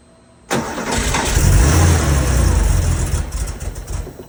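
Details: Porsche 911SC: engine catches then runs lumpy and uneven with irregular pops and stumbles and backfire; rough start caused by vacuum leaks.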